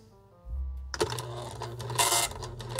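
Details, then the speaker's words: 1976 SWTPC PR-40 printer driven by SWTPC 6800 computer via parallel card, plastic ribbon fitted: motor spins up, then even bursts of sharp mechanical chatter without binding or stalling; printing normally, though ribbon spools need finger help to advance. "yes yes that's what i was looking for look at that it's actually working"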